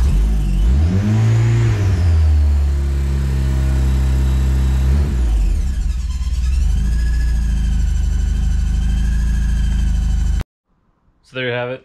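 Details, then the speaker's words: Turbo K-swap Mazda Miata, first start after the engine re-swap: catches and revs, then a rising and falling whine with chatter over the idle; the owner thinks the clutch needs bleeding (release bearing) and a pipe may be hitting the O2 sensor. Squeal and chatter at start. "starts make some weird noises i think some things are just like hitting other things like it could be this pipe right here it's hitting the o2 sensor and it's like chattering uh the clutch needs to be blood so it's that's what that like weird squealing noise was"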